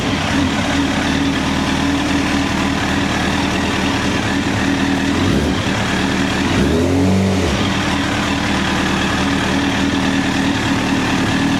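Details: 2009 Honda CBR1000RR Fireblade at 61,211 km, started with a jump pack: smooth even idle with two clean throttle blips, no stumbling; engine runs healthy.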